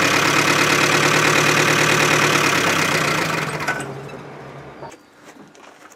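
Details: Chevy Aveo, about 100,000 km, oil drained, idling after re-fire: rough idle with steady hard knock about three per second, then engine fades and stalls; bottom end knocking from oil starvation.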